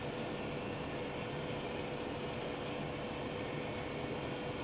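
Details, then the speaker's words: Norden Bombsight C-1 stabilizer gyro motor on direct hookup: steady high whine over even hiss, still accelerating smoothly with current dropping, no rubbing or ticking; spinning normally. "It's, I can still hear it accelerating. As it's accelerating, the current's starting to drop."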